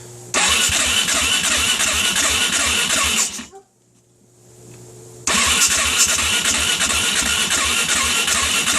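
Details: 2008 Suzuki LTR 450 ATV, cold start on electric starter after a rollover: two long bursts of fast, steady starter whirring, never catches; runs only when pull-started. Owner checked sensors and spark plug; cause unknown, owner wonders about valve adjustment.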